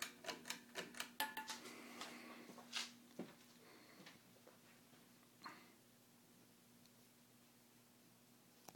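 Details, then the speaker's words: Air Cool 42" hugger ceiling fan, made July 1987, with a 5-light kit, running on low: quick uneven ticks over a faint motor hum that fade out. Cause unclear; the owner suspects the ground wire he didn't hook up. "see if the noise increases when as the speed increases to medium might be the ground wire that i didn't hook up"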